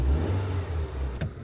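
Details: Car with a DV6 engine after a broken timing belt and crank correlation code, with key matching redone via scan tool: smooth, steady low rumble with a slight rev, no misfire or knock; now runs normally.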